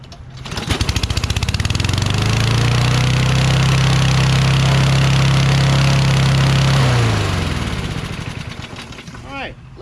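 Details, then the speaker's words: Toro Recycler XT675 mower with Kohler engine after carb ultrasonic cleaning and governor adjusted: short crank, then steady even mid-speed running; starts and runs, owner suspects earlier wet spark plug from carb cleaner. "it looks like it starts now maybe i'll uh maybe because the spark plug was wet from all that carb cleaner"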